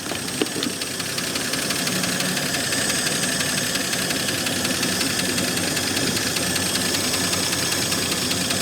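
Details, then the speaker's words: AMC Rebel SST, first run after sitting 35 years, fan belt thrown; loud clattery idle with uneven tapping; owner calls it very noisy and thinks it could use a little more timing. "All right. Very noisy. Probably could use a little more timing, but that's pretty good, ain't it?"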